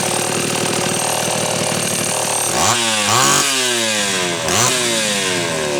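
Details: Homelite Super XL chainsaw test run after repair of a loose cylinder nut (cylinder gasket issue) and filed, gapped points. Crisp even two-stroke buzz rises and falls cleanly through several throttle blips while cutting, no stumbling; healthy, retune from slightly lean underway.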